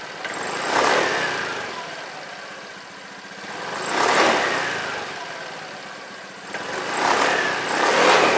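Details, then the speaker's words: Honda Beat scooter revved three times after replacing the dirty, worn rear CVT bearing: CVT runs smoothly, the earlier droning hum on throttle release now gone. "ya Suaranya yang apa ya berdengung itu udah nggak ada ya"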